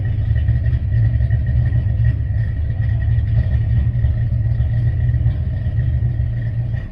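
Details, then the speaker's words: Foxbody Mustang Calypso clone at first startup after TFS cam, Explorer intake and SVE heads install, camera placed further away; deep lumpy, choppy rumble with no clear knocking — normal idle with aggressive cam, responsive. "alright guys that's it car sounds really good the cam sounds nasty in it cars pretty responsive if I'm being honest with you"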